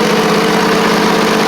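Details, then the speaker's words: Briggs & Stratton V-twin on a Poulan Pro (Craftsman) riding mower after fitting a new carburetor with aluminum intake: steady, even idle, a little popping but nothing crazy, no longer flooding; running much better. "Running much, much better actually, so that's good. That's good, good, good. A little bit of popping, but nothing crazy. It's doing much better."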